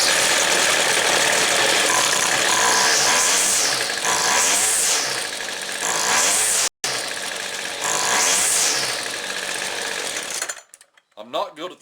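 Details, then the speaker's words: Two-stroke Weed Eater string trimmer after carb tuning, one-pull restart: revs and idles, then stalls off idle. "little stall right there so i'm going to open this up about another eighth of a turn on the low side see where that gets us"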